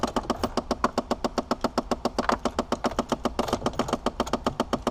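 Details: 2006 Chevy Impala with the AC turned on: rapid, even clicking, several a second, from behind the glove box at the right end of the blower; failing recirculation door actuator, a common problem on these vehicles.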